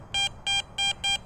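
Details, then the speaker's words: Garrett Vortex VX9 metal detector with the large stock coil in a park full of bottle caps: crisp, high, steady beeps, five even bursts about three a second over faint hiss; a good clean target signal, not trash chatter. "getting a good clean signal. And imagine if I was using a 5x8 or a Viper coil, this would be so much easier in this garbage. But even with this big coil, I got a good signal here."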